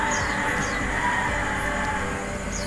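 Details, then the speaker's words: Electric fan upgraded with a bearing on the shaft and a custom bearing seat, running on speed 3: steady, even high-speed whir with no rattle, tick or grinding; fan motor and bearing run fast, smooth and quiet. "Lihat, ini kecepatan speed 3 nih. Dia putarannya pun kencang dan memang sangat halus. Oke."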